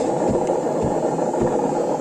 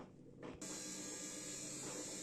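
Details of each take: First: Samsung 7 kg washing machine with empty drum on spin: steady heavy roar with low rumble pulsing about twice a second, far louder when loaded; worn drum bearing to be replaced. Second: Samsung 7 kg washing machine after drum bearing replacement, spinning: steady soft motor hum with a light hiss of water and no rumble; the earlier airplane-like noise is gone.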